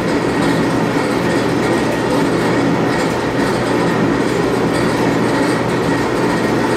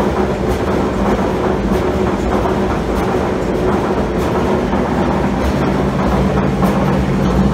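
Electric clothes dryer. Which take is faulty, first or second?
second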